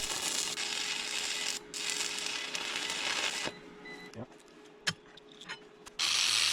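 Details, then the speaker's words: Inverter powering a welder at 120 volts with 6011/6013 rods: steady mid-high warning beep under welding crackle, cutting out after a few seconds, after most welds; owner suspects welder draws too many amps. "You can hear the inverter beeping after most of my welds. Yeah, the inverter's not happy with this either. I think this welder draws a lot of amps at 120 volts."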